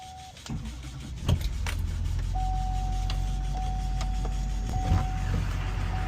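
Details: 2004 Chevy Silverado 2500HD Duramax diesel, engine cold to the touch, started after the glow plug light goes off: a short crank, clean light-off, then a steady low clatter at idle without misfire. A normal cold start.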